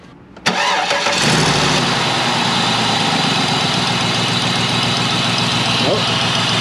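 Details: A 2003 Cadillac DeVille with the 4.6 Northstar V8 and codes P0300/P0306 has a cylinder 6 misfire. It starts and idles loudly with an uneven, lumpy beat, still misfiring after a junkyard coil pack swap. The four front injectors were later found clogged.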